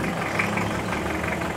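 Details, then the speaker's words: Mitsubishi Pajero Exceed with a 4M40 diesel: the idle has a loud, busy clatter over a rough low rumble, which the owner considers not normal. There is also blow-by smoke at the oil filler cap, and the owner is considering a rebuild. "Parang hindi normal yung ingay niya, which is para sa akin hindi nga rin normal."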